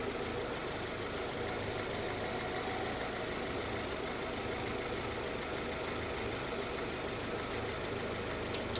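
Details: Honda CR-V (RD1) after replacing a burst upper small heater hose and refilling with water, idling to check for bubbling from a possible blown head gasket: a quiet, even idle with no bubbling, gurgling or knocks; sounds healthy.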